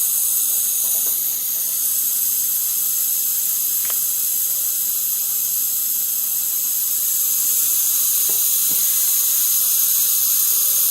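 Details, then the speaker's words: Worcester Bosch 38 CDi boiler system during service, heating off, after draining and refilling: steady high-pitched hiss of trapped air escaping at the radiator bleed valve; pressure drops as water rises, so repressurise. "You can hear the air coming out. There's a lot of air trapped there, and that means when the water comes up, the pressure gauge goes down"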